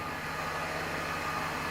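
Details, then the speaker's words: Mercedes-Benz W124 E320 (M104 inline-six) at idle around 700–750 rpm after DIY change of engine oil, automatic transmission oil, oil filter and air filter; smooth even hum, no coughing or shaking: normal idle. "oh ya suaranya seperti itu mendengung halus tidak batuk-batuk tidak goyang"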